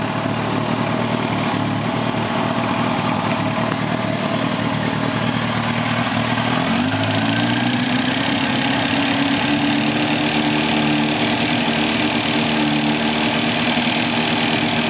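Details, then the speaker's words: 2006 Kawasaki ZX-10R, 17,568 miles: no tick at idle, but a light knocking comes in with slight throttle and stops on letting off; owner suspects rod knock, timing chain or tensioner, unconfirmed. "just to let you know that the noise comes in around when the mutton when the motorcycle is on it doesn't tick but when you accelerate it a tiny bit you can hear the knocking"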